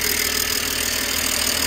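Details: 2007 BMW E90/92 318i convertible after rocker cover gasket change, no leaks: even, steady idle with a smooth hum, no knocks, ticks or misses; normal idle.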